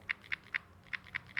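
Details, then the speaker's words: Samsung Galaxy S24 Ultra shaken: light sharp ticks from the 5x telephoto lens's optical image stabilization moving freely, normal and gone when the 5x camera is active. "some people are actually concerned about this and there are discussions in discussion forums let me clarify this for you this is because of the Optical image stabilization of the 5x lens"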